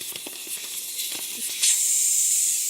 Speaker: for some reason these have always leaked and listen to how bad this is